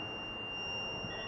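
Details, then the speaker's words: Refrigeration overload protector (OLP) tested in buzzer/ohm mode of a clamp meter across its two pins: a steady, unbroken high beep with a 0.1 ohm reading, so continuity is good. No beep would mean a broken internal plunger. OLP OK. "एक buzzer का sound दे रहा है और 1 kilo ohm point मतलब point में 0.1 ohms इसका value आ रहा है तो ये बीप साउंड कर रहा है"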